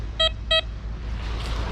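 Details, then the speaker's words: Troy Shadow X2 analog metal detector on a beach foreshore during a coil stability test: two short, clipped mid-pitch beeps about a third of a second apart, then hiss; a choppy, broken-up signal from an iron junk target. "It's iron. Hear it breaking up?"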